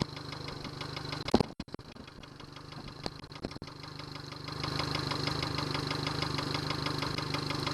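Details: Yamaha 70 hp outboard at idle: steady knock about three times a second from fuel starvation, caused by a Honda fuel connector used instead of the Yamaha connector.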